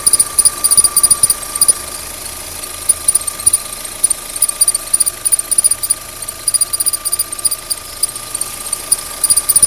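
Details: Opel Z16XEP engine idling with a steady high whistle and sharp chirps about three times a second; belt squeal, cause not yet found.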